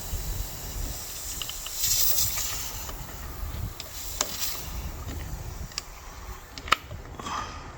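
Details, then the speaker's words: 2015 Mercedes-Benz CLS550 (W218) Airmatic, during an air suspension pump replacement: a 12mm fitting at the valve block is cracked and a steady rushing hiss of trapped air escapes. This shows the system was holding pressure normally. "If you hear the noise, the air coming out, that means Your suspension is good. It's just the air which is trapped inside the system that's coming out."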